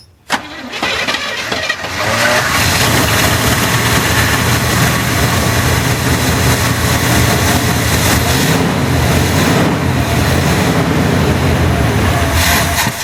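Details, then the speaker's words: 1981 GM square body truck after 25 years sitting, running from an injector-cleaner fuel reservoir, weak battery: catches after short crank into a low, uneven loping idle that never steadies; rough idle, stuck carburetor float suspected. "That float bowl up again. I would say we've got a stuck float."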